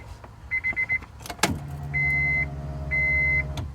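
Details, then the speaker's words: 1998 Acura Integra GSR, key on after injector swap with harder starting: a clunk then steady low electric hum for about two seconds under door chimes, noticeably louder, sounding like a Walbro fuel pump; primes normally. "We'll see if we can hear the fuel pump. Oh, that's significantly louder. Yeah, that sounds like a Walbro."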